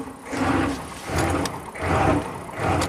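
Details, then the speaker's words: 1995 Chevy K3500 6.5 turbo diesel, 160,000 miles, hard starting and revving on its own: after a crank-no-start it catches and hunts up and down about once a second, never settling; rough running after cold start. "Okay, crank no start. Woo! Okay, not happy."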